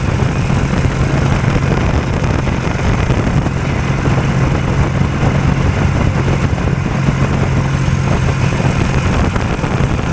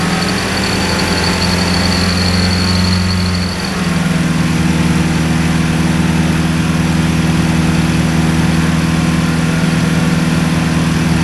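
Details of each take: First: Two-cylinder hovercraft engine held at a deliberately high idle because the drive pulls a fan load constantly; loud, steady, even drone with no dips, idle set noticeably high. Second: Two-cylinder hovercraft engine, newly settled with revised exhaust and carburetion, sped up to about 2500 rpm; even drone steps up smoothly after a few seconds and holds steady, running properly.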